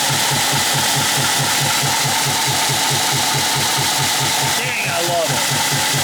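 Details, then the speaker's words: 1953 GE 80-ton locomotive, last run 1998, freshly revived at rough idle: slow heavy beat about four pulses a second with loud hissing chuff; blowby, owner thinks running will seat the valves. "That is some blowby, but it probably just needs to uh run"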